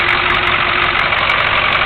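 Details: 1983 Chevy Suburban Silverado 6.2 diesel, glow plugs used before start, new air filter, hood open: even, steady diesel clatter at idle with constant tone and no misses or knocks; idling healthily.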